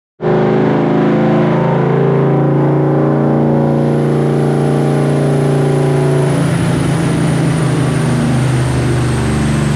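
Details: Car engine during tuning holds a steady high rev, then breaks into a rough, crackling, uneven note; misfire and backfire under revving, with bystanders reporting 3-foot flames.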